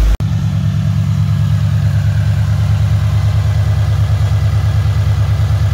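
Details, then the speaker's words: 2013 Scion FR-S/Subaru BRZ with a used replacement engine swapped in for a rod knock; first start after priming oil, while coolant is topped off: smooth, even idle, steady low beat, no knocks, ticks or rattles. "sounds good we're just topping off the coolant now no weird noises so far"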